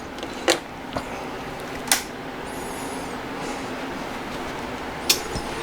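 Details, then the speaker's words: Adcom GFA-555 power amplifier with a revised protection module, being powered on. Quiet hum with a few sharp clicks and one clear snap as the relay pulls in; it comes out of protection normally, with the DC offset settling below about 10 mV. "so I'm going to turn the amplifier on you will hear a click out of protection"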